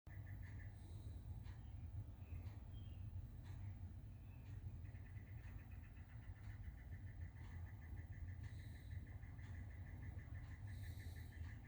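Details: Newly built desktop computer makes faint, rapid intermittent high-pitched chirping/clicking over steady fan hum; occurs only in Windows, not in the BIOS, source unidentified.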